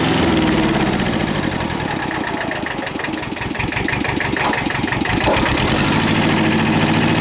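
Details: Kubota L Series (mid-1970s) diesel tractor, warm after about half an hour running, after internal oil leak repair: even, steady thumping at about 3.5 beats a second, no misses or knocks; normal running.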